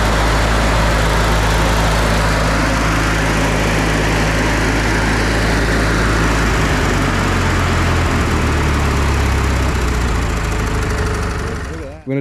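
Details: Older Briggs & Stratton Sentinel by Murray ride-on mower, bought as a non-runner and fixed by replacing the starter drive gear: smooth, even single-cylinder beat with steady pitch easing down before shutdown, no knocks or rattles; running healthy.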